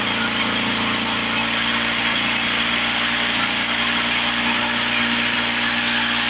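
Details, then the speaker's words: 1970 Lawn-Boy Buttercup two-stroke mower (model ~30237), run after carb spray cleaning: buzzy idle with slight wavering, surging; owner suspects old gummed fuel or a sticking needle valve in the carburetor, otherwise running pretty good. "working through some carburetor trouble probably some of that old nasty fuel being a little gummed up you hear the RPMs going up and down up and down"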